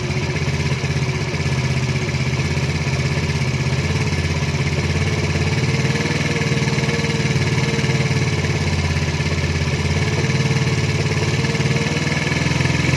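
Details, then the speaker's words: 110cc engine after carburetor setting, screw opened to 2.5: even steady low putter, no hunting or dips; carburetor holds clean stable idle. "dengar dulu. Dah maintain kan. Ni aku buka sampai 2.5 je. Dah maintain."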